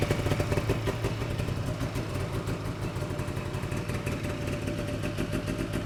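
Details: 1979 Ski-Doo Everest 444 liquid-cooled two-stroke snowmobile, under load in the field after its first start in 3 years: crisp busy rasp pulling cleanly and evenly with throttle, no misses or knocks; healthy.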